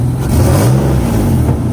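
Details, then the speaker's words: Infiniti Q50 3.7L (VQ37) after spark plug replacement: loud raspy rumble under revving, the harsh puffing of an exhaust leak where the manifold meets the first pipe. "Yep. Exhaust leak, but oh well. The manifold meets the first pipe."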